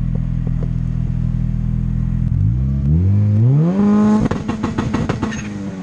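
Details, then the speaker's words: Honda Integra on Crome, full exhaust, two-step anti-lag set to 30 degrees ignition retard and 10 percent fuel enrichment: held on limiter, revs climb with rapid string of sharp bangs and pops; anti-lag dialed in. "and this is how it sounds with a full exhaust even I got this frickin two-step pretty dialed in guys"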